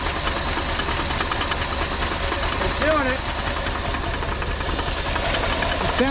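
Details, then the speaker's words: Previously seized old Ford engine running off a makeshift gas tank on the hood: ragged uneven idle with steady tapping knock and hissy background; oil pressure present, fuel pump found dead and replaced afterward; rough running, cause not pinned down. "sounds healthy not really but uh we've got oil pressure"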